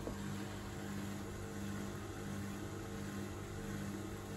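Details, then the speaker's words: Dyson Contrarotator CR01 washing machine under restoration, element not heating, after fault F13: steady low drain pump hum holding without a break, never cycling off; the pump keeps running incessantly after the fault. "The pump is pumping. Incessantly. It's a funny machine."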